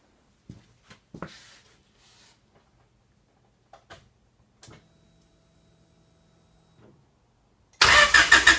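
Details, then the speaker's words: H22-swapped Honda Civic with Acura EL/Domani front end, not started in a few months; quiet clicks then the engine fires and runs with a quick even beat: normal start after storage. "So I got to start the car, so that was fun. Haven't started it in a few months, so it was good to hear it run again."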